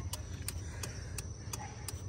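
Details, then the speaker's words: 1st-gen Nissan Titan (2004–2015), engine off, after installing the missing left trailer blinker relay: sharp ticks about three a second in a steady rhythm; both trailer blinker relays cycling normally. "figured I'd shoot this real quick with the motor off just so you can hear the relays clicking so you've got the relay for the right hand trailer blinker and the left hand trailer blinker"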